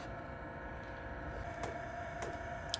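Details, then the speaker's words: 12V 5kW diesel heater newly installed in box truck conversion, first startup: a few light sharp ticks about half a second apart over the heater fan hum as the fuel pump primes normally; checked for leaks. "okay so the fuel pump started let me climb back here and make sure it's not leaking"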